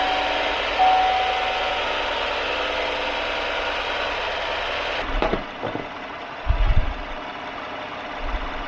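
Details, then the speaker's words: 2015 Chevrolet half-ton pickup after repair of cylinder 2 misfire (worn valve lifter and camshaft replaced; plugs, wires, coil, injector done earlier): even, steady idle, no stumble, misfire counters at zero; thumps of handling follow. "so we've already left it idling here for quite a while and go through our misfire counters and still at zero the whole way through"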